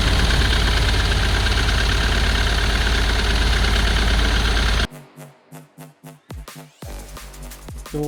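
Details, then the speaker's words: 2010 Ford Transit welfare van diesel, previously seized and bought as a non-runner: harsh, heavy clatter, like chippings in the exhaust with oil coming through; owner suspects cracked piston, turbo or injector; failed turbocharger. "sounds like a chip pen inside that exhaust um with the oil going through up now that could be a number of things be a crack piston turbo no injector"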